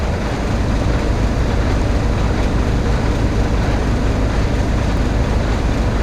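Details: Truck after jump start of flat batteries, charging at 28 volts: deep steady diesel rumble at idle, no misses, knocks or squeals; engine idles healthy.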